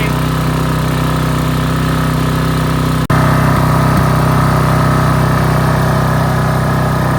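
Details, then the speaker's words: Briggs & Stratton 8.75 engine off a Toro Timemaster, test run after reassembly: mower engine holds steady, even speed without surging or hunting, one brief dropout; governor controlling properly, normal running. "okay this is the test run after we put everything back together so give it a pull Darren little"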